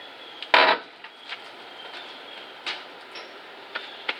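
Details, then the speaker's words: 1972 Chevelle SS long-sitting door swinging open: dry creaks and rubbing scrapes with a couple of sharp pops; hinges really sticky and unlubricated, about to be sprayed. "all right uh so i changed the tire so now we've got clearance to open this up and you can hear the hinges are really sticky"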